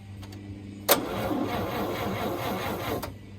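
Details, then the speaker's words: 1950 Chevy Bel Air hardtop barn find, fresh fuel with additive, automatic thermal choke: starter churns unevenly about two seconds, never catches; no spark, points, cap and rotor found badly dirty. "You don't have anything. Went back over the points in the cap and rotor and actually just took them out so I could see them in the sunlight, and they were not even close to clean."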